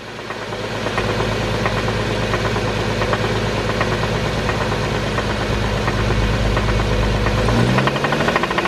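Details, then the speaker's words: Infiniti engine after running with zero oil: heavy regular knock about three times a second over a rough idle, with rattle in the exhaust note; blown rod bearing, engine a write-off needing replacement. "so essentially the rod has just been blown obviously a car can't can't be driven on zero oil for an extended period of time"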